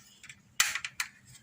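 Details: Portable gas stove being serviced for no gas flow, reassembled: four or five sharp, crisp snaps with clean gaps as the piezo igniter sparks normally.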